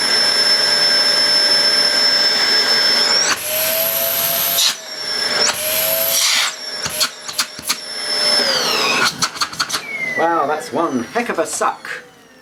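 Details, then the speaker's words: New UK-made Hoover Sensory Floormaster TS2265 bagged cylinder vacuum; steady high whine climbing as suction is turned up to maximum, no rattle or grinding, over 400 air watts, healthy motor. "suction over 400 air watts is good um obviously that will reduce as the bag fills but it's not going to reduce by a huge amount not unless you're picking up very very fine dust"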